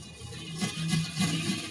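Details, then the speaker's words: Panasonic SV-3800 deck being adjusted for head azimuth: playback of a badly worn tape gives a muffled, warbling sound with a wavering low hum and hissy, digital-sounding smear — distorted tape playback. "This is what you're gonna hear. some digital disgusting noise that is."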